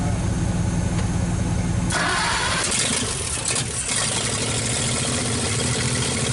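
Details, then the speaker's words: 1948 Nash engine, bored 60 over, first start after head work. It catches, then settles into a ragged, wavering idle, loading up with fuel. Owner says it runs pretty good but floods out; a carburetor kit is planned. "okay definitely Ron's runs pretty good at flooding out so we're gonna get a kit in the carburetor"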